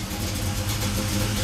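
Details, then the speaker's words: 1973 Camaro Z28 V8, monthly start, warmed up with temperature gauge near halfway: steady low burble at about 700 rpm, slightly rough but acceptable; normal warm idle. "it's iding not perfectly smooth but uh not too bad is about 700 RPM little rough cuz it could use a bit more"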